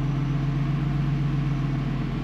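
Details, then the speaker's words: 1998 BMW E46 with a swapped, rebuilt M52TUB28 2.8L inline-six turbo, first start after reassembly, lifters pumped up. Smooth, steady low hum with an even beat and no knocks or misses. Normal clean idle, no major problems. "on n'a pas l'air d'avoir de gros problèmes majeurs"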